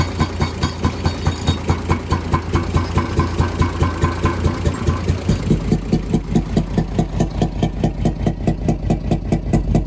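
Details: UD/Nissan FE6 six-cylinder 24-valve truck diesel: heavy idle with a steady chuffing beat, a bit over one per second, loudest from the intake/air filter side; faulty camshaft and valve seals suspected.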